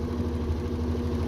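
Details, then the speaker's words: Whirlpool/Maytag/Kenmore-type washer on spin cycle after cheap repair of suspension rods, lid switch bypassed: steady low even hum, no banging; earlier slight rattle traced to a loose panel; spin now sounds normal, hardly shaking. "so that sounds a lot more normal now"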